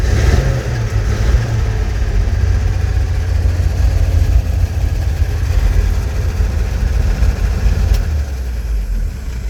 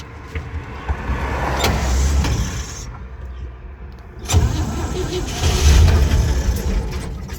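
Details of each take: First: Old flatbed tow truck started for the first time, fuel poured down the carburetor and a hot battery fitted: low, steady engine rumble with slight rev changes, no knocks or misses; running fine. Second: Old truck engine, unstarted for months or maybe a year, fresh battery, gas primed down the carburetor from a gallon can, Bendix earlier not engaging: it cranks, catches briefly with a rough burst, then dies. Likely not enough fuel.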